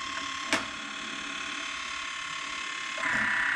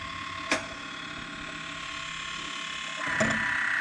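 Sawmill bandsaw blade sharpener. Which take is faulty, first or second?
first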